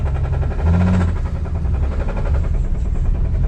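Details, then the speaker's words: 1978 Plymouth Volare slant six at idle, revived after sitting for years: quick, regular knock over the low rumble; suspected bottom-end knock, cause not confirmed. "I think if it wasn't knocking, we'd just be driving it right now."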